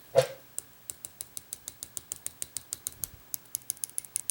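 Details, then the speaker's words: 1994 Saab 9000 fuel injector on bench test, initially stuck with only relay heard, then forced open with pressure: crisp clicks about six per second growing stronger as it frees up; one hole partly clogged before flushing. "i hear the relay in it but the actual solenoid is not opening let's see if it'll force so we can force it open with uh pressure oh yeah it's fine just not as loud there we go"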